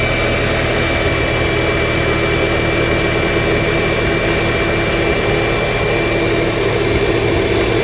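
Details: High-mileage BMW E46 318Ci, N42 2.0 petrol: steady loud idle with a dense, even metallic rattle, suspected timing chain, though on further listening the source seemed uncertain; rattle at idle, cause unconfirmed.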